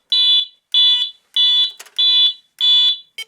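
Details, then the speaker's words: Alertek i8005 fire alarm panel test with pre-signal: loud high-pitched beeps repeating about a hundred per minute as the panel goes directly into its second-stage evacuation signal. "as you can see it went directly into second stage because it can tell them apart now"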